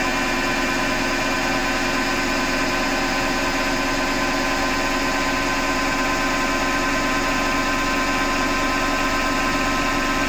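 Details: Hotpoint Ariston FMD963 washing machine with steady coarse grinding over an even mechanical hum throughout the run; the owner suspects the motor rather than the drum and plans to remove the belt to test.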